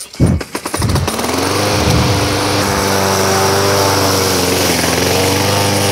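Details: Craftsman lawn mower after its heavy-vibration fix: a few coughs, then a steady, even drone with no knocking or shaking; mower running smoothly.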